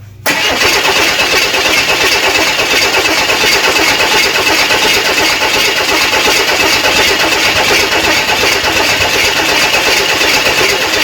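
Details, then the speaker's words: Rebuilt 230 six-cylinder cranking during timing setup, vacuum advance diaphragm bumping and limiting advance; steady fast cranking rhythm, not a single cough; crank no-start, ignition timing too retarded. "all right uh we were trying to dial in the timing and it didn't even cough so we were double checking everything we did have the distributor in right"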